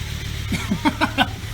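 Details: 1995 Volvo 850 T-5R, first start after 15 years sitting in the Arizona desert, after replacing the fuel pump, timing belt, water pump, hoses and more: a low, steady, even idle rumble with a few brief chirps; runs smoothly.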